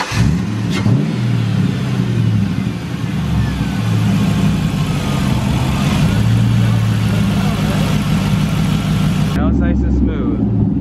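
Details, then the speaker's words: Engine restarted after fixing a massive vacuum leak mistaken for a misfire: catches and settles into a steady, even idle with clean revs, no stumble or hiss; normal running. "it's not misfiring just had a massive vacuum leak that was a lot of vacuum that's what we said it was"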